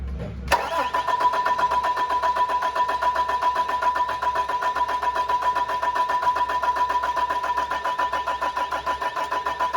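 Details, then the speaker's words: Newly built engine on a chassis, first start attempt with fuel supplied, batteries and a laptop connected to the ECM; even starter cranking about three to four beats a second, never firing, not even a bark, as if it had no fuel. Cranks but won't start. "Chuck the guy that built the engine said it should have lit it didn't even make a bark a chirp anything it's as if we were cranking an engine with no fuel"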